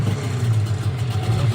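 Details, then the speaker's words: Sharmax 9.8 outboard after replacing an impeller that had spun on its shaft (pump not pumping, no tell-tale water) with a Mikatsu 9.8 impeller: a steady, even low drone with no misses or knocks, water now flowing, running fine. "Ну, водичка бежит. Шармакс 9.8. Водичка пошла. Крыльчаточку поменяли. Все окей."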